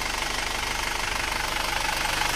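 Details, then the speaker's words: Isuzu Panther automatic diesel after engine repair, back at the workshop after a 66 km test drive: steady, even diesel clatter at idle with a regular beat, no misses, smoke reduced, no longer stalling at low rpm; normal diesel idle. "mesin turun ya Dipakai stasioner turun reda asapnya aman kota"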